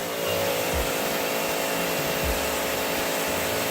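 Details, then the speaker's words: Sun Joe SPX3000 electric pressure washer (14.5 A, 2030 PSI): a motor hum with a slow, uneven low-end surge about every second. It was done too fast, giving a weak pump and low pressure; it needs time to build. "So watch when I do this. See how it's a low pump? That's why you have to give it time."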